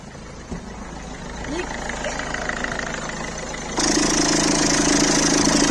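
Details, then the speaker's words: Citroën C3 1.4 HDi, cold, after replacing the accessory belt tensioner: steady, even diesel idle with clatter only, and the previous belt-drive noise is gone. "Allez, on démarre. Verdict. On va voir si elle fait toujours du bruit. Allez, on y va. Ouh, plus de bruit."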